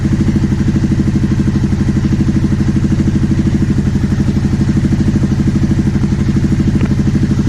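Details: 2009 Aprilia Shiver SL750 twin, after replacing both air pressure sensors in the airbox to cure idle jumping up and down: steady, even thumping idle at constant speed, no misses, rattles or hunting; evap and tank air hose ruled out.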